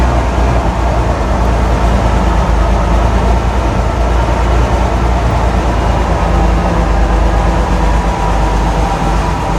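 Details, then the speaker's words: 1991 Ford F-150 XLT Lariat with a five-speed overdrive transmission, just started and warming up on an 85-degree day: steady, even low rumble with no knocks, misses or hunting. It is a normal, smooth, healthy idle. "maybe i'll try to fire it up and you guys can hear it run well it warms up for a little bit"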